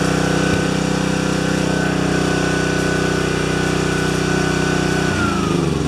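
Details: Self-propelled spare mower with rpm increased slightly and self-drive belt tightened last fall. Steady, even drone at a fixed speed with no surging or misses, dipping briefly near the end. Normal running.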